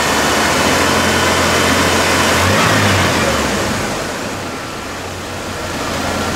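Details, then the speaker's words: 2001 GMC Sonoma 2.2L after engine replacement, held at about 2,000 rpm to circulate coolant until thermostat opens: steady even note, no knocks or misses; healthy fast idle. ",000 RPM until I'm sure the cooling is circulated through the thermostat's opened up and I've got good heat"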